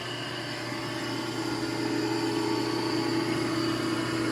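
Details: Restored electric motor for a Champion Blower and Forge 20-inch camelback drill press, running after replacing its crunchy bearing with a new one and now much quieter. A steady, even hum and smooth whir with no crunching. Normal motor run.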